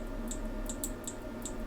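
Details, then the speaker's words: Atomic AT-5000.1D subwoofer amplifier under repair, on 9 V input: green light flashing and relays click in and out about three times a second over low hum; owner suspects the power supply lacks enough power to reach full switching. "The green light is just flashing. Relays are clicking in and"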